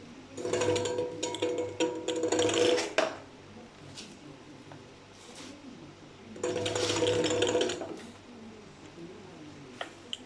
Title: grinding sound at low revs. ebike kit. New controller. any suggestions